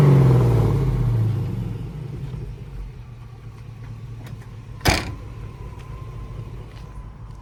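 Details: 1965 Ford F100 on a Crown Vic frame with a bone-stock 5.3 LS swap: one sharp throttle blip rises and falls over two seconds into a quiet, even idle rumble; normal healthy revving.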